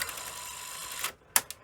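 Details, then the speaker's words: Sony Betamax SL-F25UB at power-on after cassette inserted, previously ran perfectly: about a second of fast ratcheting and gear chatter, then two sharp clunks; lacing mechanism slipping on gear instead of engaging. "yeah you can sort of see it's it's it's not happy um this part the lacing mechanism it's just floating about I say floating about it's it's on the gear"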